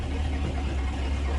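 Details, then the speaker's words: 1984 Ford Bronco, 351 Windsor 5.8L V8 on open Hedman long-tube headers with no exhaust, fired right up, warming up before revving: deep steady low rumble, even beat, no misses or knocks; smooth healthy normal idle. "now I'm just gonna kind of let it warm up before I give it the beans it's loud it definitely needs it exhaust he can't drive it like this but it's definitely fun to take it for a little ride oh that idle"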